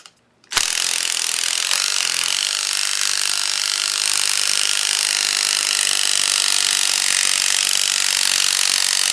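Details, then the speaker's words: Aqua-Flo hot tub pump motor bearing spun by hand after removal: dry, gritty rasping hiss; bearing is rough, with grease coming out, and needs replacing. "so this bearing is not bad in the same sense that the front one is bad but it need to be replaced anyway because it is rough so you can actually hear it's got that roughness to a plus you can see grease coming out of it"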